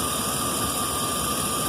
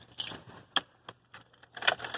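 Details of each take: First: 2011 Chevrolet 2500 HD 6.0 gasoline V8 after repair for lifter tap: cranks normally, smooth even idle with no tapping or ticking, oil pressure 40 rising to about 60 with throttle; owner calls it fixed. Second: 2011 Chevrolet 2500 HD 6.0 gasoline V8, sat two or three months, supposed lifter tap: keys jingle, starter cranks, engine stumbles to life and settles into a slightly uneven idle, a rough start after storage.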